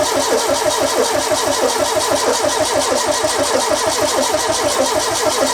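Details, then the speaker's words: Renault 5 GT Turbo, first start attempt in 5 years: steady rhythmic cranking about three beats a second, sputters but never catches, sounds dry; crank no start, fuel pump has no power. "Sounds a bit dry. It wanted to go then. It spluttered the first time, didn't it? It did, didn't it? Pop the ignition on. Oh, Got no. nay power to the fuel pump."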